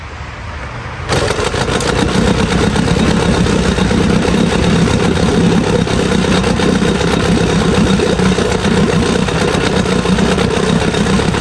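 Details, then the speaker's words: Old Evinrude Sport Twin 2-stroke outboard after years of storage, carb cleaned and new fuel lines: fires after a short pull and settles into a steady, even buzzing run with no stumbling or surging, pumping water well. "I took the carb apart and cleaned it all up and hooked gas back up to this thing, and it runs like a dream."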